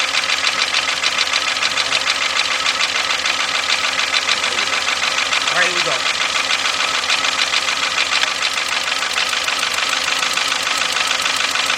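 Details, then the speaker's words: 2.0 Volkswagen at idle with plug wires being pulled, cylinder 4 then cylinder 1: shaky idle with an uneven stumble one to two times a second; misfire, with spark seen arcing out the side at the ignition coil. "I need to look at number one this thing was actually arcing out through the side huh"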